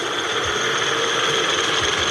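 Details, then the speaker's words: Portable line boring machine gearbox running after rotation set back to zero before reversing direction: light steady whirring with a high even whine, no knocks or grinding; gears meshing normally. "e esse barulhinho que você tá ouvindo são as engrenagens trabalhando"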